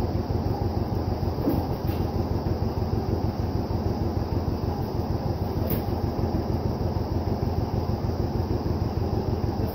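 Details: Vintage John Deere 720 two-cylinder diesel tractor after head gasket repair: slow, even pop-pop at roughly three beats a second, steady rhythm, no knocking; running normally.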